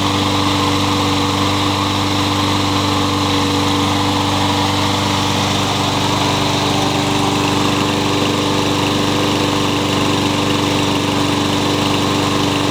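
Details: Troy-Bilt 21-inch self-propelled bagging mower, blade previously hit a railroad tie; after flywheel key replacement and reassembly, single-cylinder engine holds a steady, even beat at constant speed, no misses or knocks: good runner.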